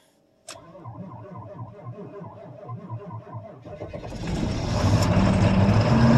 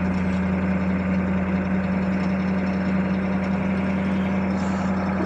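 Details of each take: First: 1982 Chevy Blazer 6.2 diesel, about 20°F, unstarted for three days, glow plugs held 10-15 s, half throttle: slow cranking about 3.5 turns a second, then catches and revs; hard cold start. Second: 1982 Chevy Blazer 6.2 diesel, cold start at about 20°F after three days sitting, new glow plugs, about 40 lb oil pressure, charging: smooth, steady idle with an even low drone and no knocks or misses; normal idle.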